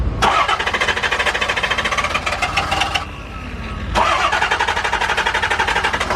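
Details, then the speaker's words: Diesel truck after injector replacement, cranked in about 40-second intervals to purge the system and fill the injectors: steady starter cranking at about five compression pulses a second, a pause, then more cranking; never catches, glow plug light stays on. "As far as I know from doing injectors on diesels, you're supposed to let it turn over for like 2 minutes or so."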